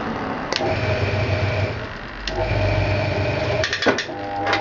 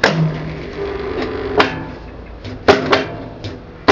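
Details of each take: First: Hoover 200M washing machine dry-run on test after sitting outdoors: steady low hum with a soft rhythmic clatter about four times a second and even pauses; timer and mechanism working normally. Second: Hoover 200M washing machine, dry-run live after sitting outdoors for weeks: low hum with irregular hard clunks about every second, sounding unhappy; owner suspects the drum clutch solenoid pulling in, not confirmed.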